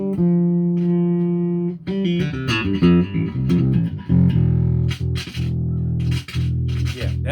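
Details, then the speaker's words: Bass guitar through an amp with the signal repeatedly dipping and cutting out; suspected to be more than a scratchy pot, likely a cold solder joint or a pot going bad, so the pot may need replacing; intermittent signal dropout. "a scratchy pot you know that is that's a pot going bad or a cold solder you hear going in and out that's not the pot"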